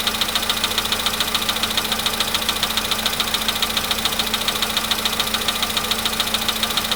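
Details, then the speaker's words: VW Polo Sedan near 100,000 km, cold start; sharp even knock about two per second over steady idle, cause unknown; knock stops with more throttle around 1500 rpm. "Если даешь побольше газу, в каком-то месте можно, найти такое место, где он перестает долбить. Вот. Где-то 1500."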